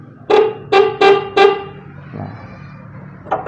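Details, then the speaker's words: Motorcycle horn weak and hoarse, snail-like: four short honks and a faint fifth, thin and buzzy rather than loud and clear; horn worn out. "Ini karena klaksonnya udah soak nih. Tuh, dia nggak mau bunyi."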